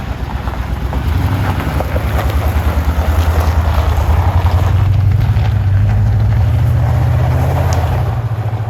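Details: 1970s Aston Martin V8 barn find after carb and fuel system rebuild: deep, even burble with steady loping pulse, no knocks or misses; smooth, healthy idle, some wind.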